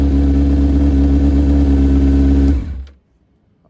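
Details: 2001 Honda CBR600 F4i inline-four: runs strong with a steady crisp note, then cuts cleanly to silence; sounds healthy.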